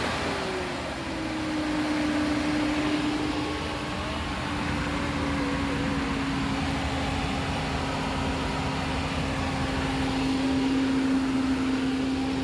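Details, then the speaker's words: Nissan Caravan that stalled, lacked pickup and was hard to start, after throttle body and cam position sensor fitting: starts without trouble on petrol, smooth hum easing down into a steady idle with no stumble or stall; normal idle. "তো আলহামদুলিল্লাহ গাড়ি start হয়ে গেছে start হচ্ছে মূলত এখন এটার গ্যাসের যে সুইচটা সেটা খোলা আছে গাড়ির তেলে চলতেছে স্টারে কোন সমস্যা নাই"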